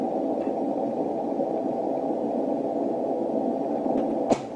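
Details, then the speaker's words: 160 m receive antenna setup; plugging in the rotator power supply raises a steady hiss of common-mode noise on the rotator cable, and it drops away sharply when unplugged; toroid chokes later eliminated it. "I plug them in to the power cord if I can find the hole all of a sudden we hear the noise go [Music] up you can see the noise now I'm going to unplug it the noise goes [Music] away"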